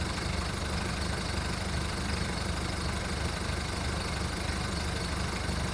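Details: VW Golf mk1 1.9 TD turbo diesel warming up after first cold start following 5 months storage: clatter about three and a half beats per second with uneven lumpy rhythm; rough idle.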